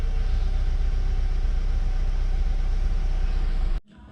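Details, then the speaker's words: Subaru FA20DIT before walnut blasting, 15 A fuel pump fuse pulled to depressurize the fuel line: steady low idle for a few seconds, then an abrupt cut-out as pressure runs out. Stall from fuel starvation. "so let's fire up and let her die so the car will idle a little bit and then it will slowly die guys so what this is essentially doing is depressurizing uh the fuel line"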